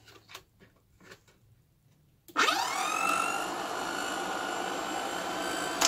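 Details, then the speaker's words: VW Squareback fresh air box blower fan, after restoring the air box (it previously rubbed on something): spins up in about a second to a steady, smooth hum without rubbing or rattling; normal operation. "turn it on I guess see how it sounds it doesn't sound like crap"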